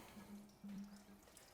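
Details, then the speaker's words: Old auction-bought ex-ESB combo van, non-runner, engine off as water is poured in: faint trickling and dripping as it runs straight out of the radiator; radiator leaking, possibly stone-damaged, overheating unknown. "Well, I think we can safely say the radiator is fucked."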